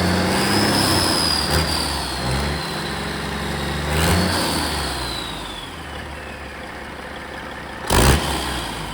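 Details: Caterpillar 3406E haul-truck diesel, rebuilt and re-engineered for a different application, first shop-floor start after fuel priming with zero active codes: catches, climbs through a couple of rev swells with rising turbo whine, then settles to a steady even idle; runs fine.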